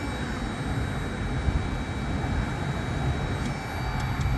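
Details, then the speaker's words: 1998 Lincoln Navigator with no blower: with the relay's orange wire grounded by hand, the blower motor runs with a steady airy rush and faint whine; the relay's ground signal is missing. "let's shoot negative on the orange wire since we have no ground pulse we're going to temporarily shoot ground to it and laow motor came on so I don't know whether you can hear it"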